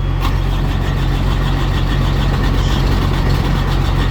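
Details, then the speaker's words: Carrier/Thermo King reefer unit diesel that ran out of fuel, refuelled and set to continuous mode: steady starter cranking about three turns a second with a low drone that never catches; no start, lost fuel prime, needs bleeding. "trying and she did not start so now at this point i'm gonna put it to start stop and let's go up there and figure this trying to start one more time it's not gonna work"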